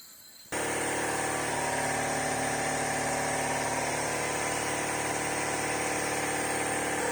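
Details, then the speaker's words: Alfa Romeo Spider 2000 leak-down test, piston at top dead centre with valves closed: steady rushing hiss of air at one pitch, air felt escaping from exhaust, leaking past the exhaust valve, also heard at intake. "i can feel the actual air coming out of the exhaust here so there's a bad leg from the actual valve exhaust valve"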